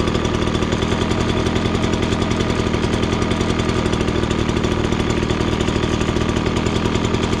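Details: Ryobi BP42 backpack leaf blower, two-stroke, air filter off: steady even pulsing that holds one speed and never climbs, won't rev to full speed; high-speed mixture too lean, fixed by opening the high screw about half a turn counterclockwise.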